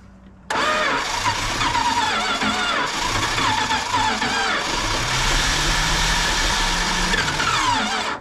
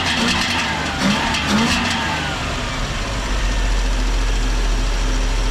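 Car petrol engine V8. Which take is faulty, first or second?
first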